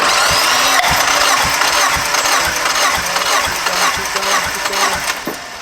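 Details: Drift Miata engine still misfiring after new coil packs, plugs, wires, cranked with plugs out for compression test on cylinder one: even cranking pulses about two a second, turning freely; normal cranking, 180 psi reading.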